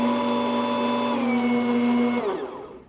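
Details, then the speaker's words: Saeco Intuita espresso machine in test mode, grinder activated: steady mid-pitched whir for about two seconds then smooth wind-down; grinder motor, gear and burrs working normally. "And then the other one is your grinder. And it'll be the same thing with this. You'll see it blinking, and it's actually representing the revolutions of your grinder gear and the burrs in your grinder."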